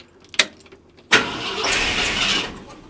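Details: 1972 Ford F250 with 66k miles, parked since 2007, with a rebuilt carburetor and new fuel pump: a short burst of starter cranking that never catches or fires; cranks but won't start, fuel possibly not reaching the carburetor.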